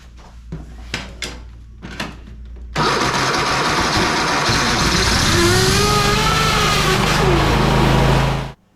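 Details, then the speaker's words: Lawn mower that won't start: spark confirmed, dead for a few seconds, then fires on gasoline sprayed into the cylinder, runs ragged about six seconds and dies; fuel delivery fault, clogged filter or bad fuel pump still to check. "because the engine started when we added fuel to the cylinders we can conclude that there is a fuel delivery issue now whether that's a clogged filter a bad fuel pump we'll have to figure out more"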